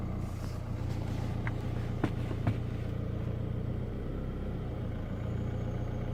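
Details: 2016 Chevrolet Colorado Duramax diesel at idle, deep slightly uneven rumble with a couple of sharp clatters; surging rough idle, cause unclear.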